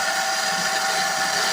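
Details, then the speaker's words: Shimizu PS135 water pump, overheating: steady, hissy, rough running noise, spins but weakly and sluggishly, slightly stiff; current draw high at 4.7 A, indicating an internal fault. "berputar tapi tidak kencang lur. Nah, dan untuk ampernya bisa dilihat lur, 4, nah 4,7 lur. Jadi ini untuk ampernya tinggi sekali lur ya. Jelas ada permasalahan."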